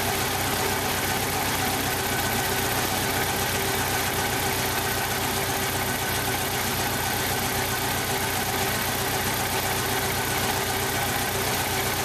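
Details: 1995 Jeep Wrangler YJ 2.5L four-cylinder with a blown head gasket on cylinder one, about 70 psi compression: an uneven, lumpy idle stumbling irregularly about twice a second; rough idle from the blown head gasket.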